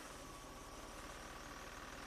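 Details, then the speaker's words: 2001 Toyota Avalon 1MZ-FE V6, 87k miles, with stored misfire, VVT, O2 and knock codes, idling in gear: lumpy, uneven, like running partially on one bank. Suspected variable valve timing fault or a lying sensor, not confirmed. "it's it's actually pretty rough. Like, it's running on just one bank. I mean, partially."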